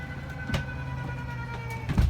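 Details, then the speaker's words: Jayco Redhawk 31XL motorhome, extend button held for slide one (living area): a steady low motor hum with a few clunks at even pitch as the slide-out extends normally. "go ahead and hold down the extend button for slide one which is gonna put out your slide out for the living area"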